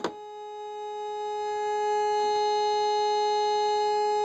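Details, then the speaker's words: Old Compass metal detector switched on with discrimination turned up, no target, meter pegged: single unbroken mid-pitched tone holds steady and grows slightly louder; stuck constant tone, owner suspects a bad coil, unconfirmed. "just a solid tone okay that shuts the speaker off we can just look at the meter i'm thinking the coil might be bad let me test the coil"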